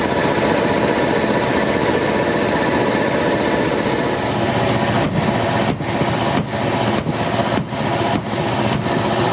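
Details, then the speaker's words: Air compressor after removing bulged fan shrouds that caused an awful metallic noise at the back: steady motor hum with even pumping beat about 100 a minute, no rattle; normal running, pressure building toward about 7 bar. "could be that the shroud for the fan here is also pushed in and then take this one off as well yeah it is bulged out here fingers crossed that's the noise much better"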